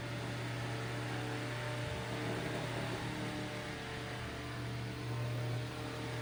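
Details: Eskimo 1005/1005R desk fan (McGraw-Edison, 55 W, 105-120 V AC), after repair: steady low motor hum with even airflow rush, no ticking, rubbing or wobble; normal running.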